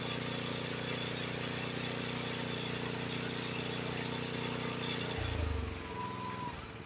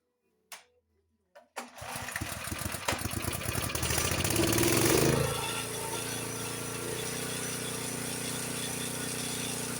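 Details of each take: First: Honda HS724 snowblower single-cylinder engine moved from idle (about 2130 rpm) to fast throttle, about 3610–3620 rpm; runs fast, smooth and even at steady high pitch, then drops away, normal fast throttle. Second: Honda HS724 snowblower engine, owner reported rough running and hard winter starts; run with choke partly closed, reproducing the fault from a choke plate stuck about half shut before adjustment; uneven, hunting, stumbling high-speed run.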